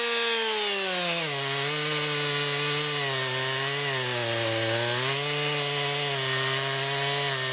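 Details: 2020 Stihl MS261, non-M-Tronic carbureted, 20-inch bar, cutting a freshly felled green pine about 1.5 ft round with a straight cut and plunge cut: high steady two-stroke scream dips slightly as the chain bites and recovers cleanly; healthy saw under load.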